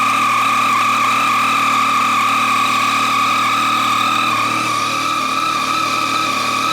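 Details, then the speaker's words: Yamaha FJ-09 (MT-09/FZ-09 family) at idle: fast light ticking over a high mechanical whine from the left side of the engine, persisting after a dealer-fitted updated Yamaha cam chain tensioner; owner suspects the automatic oil-pressure tensioner, manual tensioner to be fitted. "I've been having the really bad ticking sound for some time now I got a replaced last winter at the shop they put the new Yamaha piece in but I still have the sound you guys can take a listen here"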